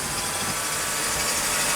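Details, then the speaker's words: 1995 Mercedes E320, M104 engine, non-ASR, with shorting throttle-body and MAF wiring (MAF unpowered), cold after sitting a day: even steady idle under loud airy air-pump hiss, no misses or knocks; runs smooth. "Runs pretty smooth. Air pump is on right now, so it's a little louder."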